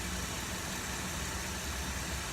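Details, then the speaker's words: 2008 Buick Enclave 3.6 V6 VVT, 130,000 miles, after intake removal and Seafoam valve cleaning for oil in intake and cylinder 3 misfire: smooth even idle, firing on all cylinders; air sucked through the top sounds like a vacuum leak but isn't. "it does sound like a vacuum leak but it's not but yeah right now running good"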